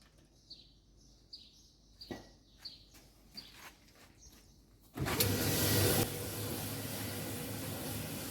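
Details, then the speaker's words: Alliance/Speed Queen commercial dryer, tested with the door switch powered directly before the panels are refitted, after replacing the drum idler pulley, drum bearing slide kit and pulley nut. A few clicks, then a steady, even drum rumble with no loud noise: normal running. "like that not like before it's making loud noise now no any loud noise it's working properly"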